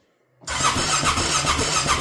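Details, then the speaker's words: Honda Rincon 650 ATV after rebuild with new cam; even cranking chug with no firing, spins freely but never catches because the spark plug cap was not fitted. "Something's wrong. sock. Is it? Oh, yeah. I got no sock. I got no Oh, no. That's why I got no sock. It's not on there."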